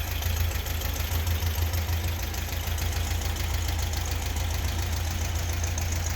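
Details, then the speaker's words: 1976 fuel-injected VW Beetle convertible air-cooled flat-four after a top-end rebuild (bottom end not rebuilt). Settles into a steady, even idle with a smooth low beat and no knocks, ticks or smoke. Runs healthy. "so it started up really nice there was no smoke there was no noises"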